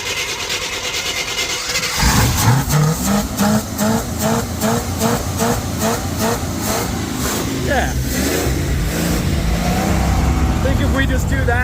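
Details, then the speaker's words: Chevy K20 3/4-ton, believed to be a 1987, 350 small block automatic, first start in years, held on the pedal: revs rise and sag unevenly and it won't idle; getting fuel and spark, owner suspects the idle circuit or fuel delivery. "how's she sound out back Bo she don't want to idle at all but uh she's taking the fuel pedal now it's getting fuel it's getting spark something with the idle circuit ain't right"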